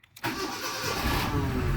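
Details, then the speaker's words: Cold engine, first start: engine catches toward idle with quick knocking right after start; main bearing knock until oil pressure comes up, then it stops and the engine runs smoothly. "Ó, ouviram aí? Dadadada. Primeira partida, o motor gelado."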